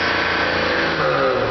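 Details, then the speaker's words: 1987 BMW 325e, running extremely rich, bad muffler, idle near 2500 rpm: under light throttle the engine holds a raised, steady speed without surging or dipping, well above a normal idle. Cause unconfirmed. "Um, I'm going to give a little gas. As you can hear, it's not surging when I give it gas."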